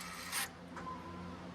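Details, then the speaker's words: 2011 Toyota Tundra 4x4 transfer case actuator after rebuild (rusty contacts and worm gear cleaned). A short whir and click, then a low, even motor hum with no grinding or catching as it shifts; it works in 4 low, 4 high and 2 high. "working perfectly. All right, we've run it through all of the cycles. It works in 4 low, 4 high, and 2 high."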